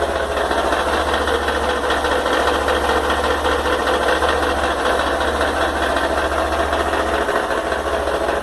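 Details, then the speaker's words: Honda XRE 190 motorcycle, about two months old, at idle after start: loud busy idle with clattery, uneven ticking over the steady thrum; owner suspects an engine problem though the dealer calls it normal; cause not identified. "olha o barulho que ela tá fazendo quando você liga ela. E na Honda os caras vêm me falar que esse barulho é normal. Nem fudendo, essa moto tá com problema no motor."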